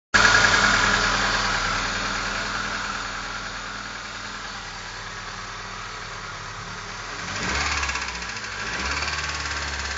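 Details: Opel C20XE engine: rough idle with a regular tapping about three times a second continuing as it revs; knock of unknown cause.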